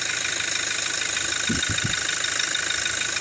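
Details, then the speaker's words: 2017 Toyota Hilux diesel running with the alternator connector unplugged, in reverse or drive; smooth running under a steady hiss with a couple of soft thumps; the clicking is gone, confirming a bad alternator pulley. "Put it in in reverse or drive. Realize the noise is gone."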